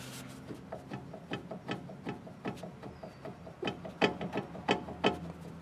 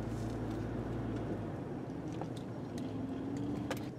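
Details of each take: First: Front sway bar end link on a 2003 Chevrolet Trailblazer, suspension loaded by the truck's weight, rocked by hand: quick, uneven wooden clunks, roughly three a second, from a badly worn, loose link causing clunking over bumps. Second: 2003 Chevrolet Trailblazer driven over the same rough pavement that reproduced the clunk, now with the front sway bar removed: only tire rumble and faint light ticks, no clunk over bumps, ruling out the sway bar links and bushings.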